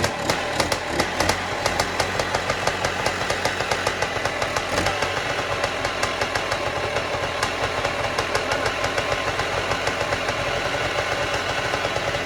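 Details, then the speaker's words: 1974 Bultaco Alpina 350 two-stroke, sitting 6–10 years with high compression and the compression release unhooked, started using starting fluid: crisp, regular popping that settles into a steady idle and keeps running on its own. "She runs. Woo. She's a runner. Guess all she needed was a little bit of an encouragement. So, starting fluid helped to start it. It seemed like it was running off its own fuel after that."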